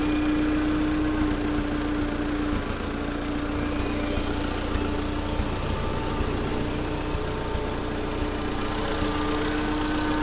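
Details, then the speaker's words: Allis-Chalmers FP-40 forklift engine, first run after complete fuel system overhaul, unrun four or five months, oil shot into cylinders: rough uneven idle with small irregular backfires and pops; owner suspects ignition (points, condenser, spark plugs), not yet checked. "so it's kind of making little backfires little pops and uh once we go through the uh the engine's electrical system maybe we'll sort out points condenser stuff like that"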